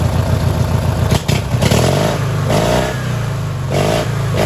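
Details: Li'l Red twin-cylinder tractor on new spark plugs, choke still not working right: revs up and settles into an even, steady beat with no stumbling between blips; running is clearly improved, normal.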